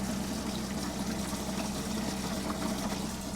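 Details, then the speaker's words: Mercedes SLK32 intercooler water system after installing a CM30 pump (about 8.5 gpm), both pumps running: steady pump hum over constant rushing, splashing flow, noticeably faster, no gurgle or cavitation; normal coolant flow. "Alright, so this is with dual pumps on. Come on. And you can just hear it start definitely getting faster."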